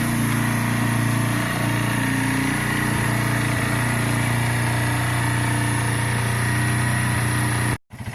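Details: Keeway/Benelli 125cc single after carburettor clean, warming up before idle adjustment and oil change; steady even idle, smooth low putter with no knocks or misses, then briefly cuts out; normal warm-up idle.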